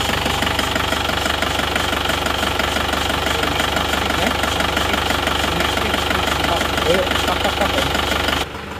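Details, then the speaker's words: Isuzu Panther Touring diesel idling rough and limping with a hard tapping knock about three times a second, engine shaking (not mounts); mechanic suspects one cylinder not firing, possibly an injector nozzle. "Suara mesinnya agak pincang dan suara tak tok. Goyang-goyang ya. Ini bukan dari engine mountingnya, tapi ini dari mesinnya yang goyang."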